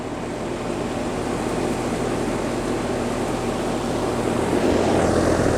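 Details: Rheem RA1630 AC condenser after replacing the fan blades to cure a loud bang at shutdown: steady even whoosh with a smooth low hum, no knocks, rattles or wobble; the condenser fan is running normally.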